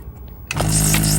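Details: Data East Teenage Mutant Ninja Turtles pinball machine during repair of a too-many-balls-in-shooter-lane fault: after a quiet start a pump kicks in with a steady low hum and even suction hiss, running normally.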